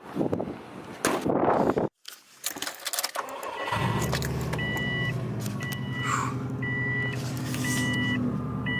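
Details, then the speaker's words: Car idling after cleaning the idle air control valve and replacing its gasket to fix a bad idle: engine settles into a smooth, even idle with no hunting or surging, under a repeating door chime. "Idling nice and pretty."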